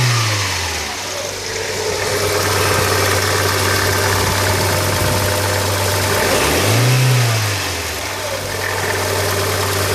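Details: 2000 Hyundai Coupe 2.0 idling and blipped twice: odd rough note rising and falling with revs; strange engine noise, cause unclear.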